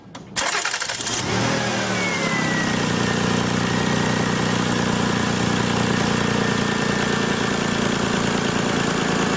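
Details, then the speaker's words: 2000 Lexus RX 300 that came in as a no-start with an idle air control problem; on starting, revs flare up briefly then fall back to a steady idle, showing the idle air control motor works in both directions; normal start-up flare. "you saw both times we started this car this had a flare-up you could hear it and it's starting to fall back down and that's telling you the idle air control motor is functional in both directions"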